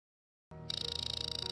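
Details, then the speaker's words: Hard drive with a seized spindle motor whose bearings are stuck from continuous rotation: after a short silence, a high-pitched buzzing pulses about twenty-five times a second as it fails to spin; the fix is a spindle release tool or a platter swap. "los cojinetes acoplados al motor de lucillo se atascan debido a esto el motor de lucillo también se atascar y escucharemos un sonido específico que se genera Durante este problema"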